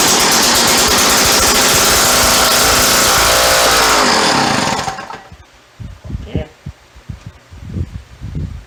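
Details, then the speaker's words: Two-stroke auger fed oil down the carburetor: a harsh, raspy, very loud crackle at about four pops a second, then it dies away. The exhaust/muffler is missing. "Sounds like the exhaust is non-existent. Where is the exhaust?"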